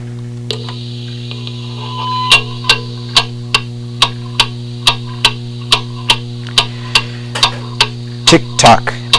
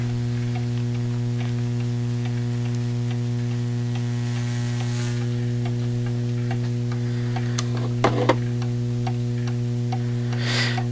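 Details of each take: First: Antique pendulum clock on a level surface, heard through a beat amplifier: ticks about every half second over mains hum, with tick and tock spacing slightly uneven, so the clock is slightly out of beat. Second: Getting an even "tick-tock" while the clock runs is essential! This is called setting the beat.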